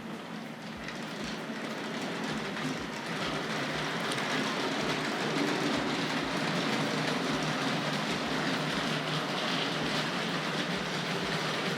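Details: Locomotive, previously stuttering and stalling through a point: steady rolling clatter at about four clicks a second with no stutter or dropouts; now runs smoothly, normal running.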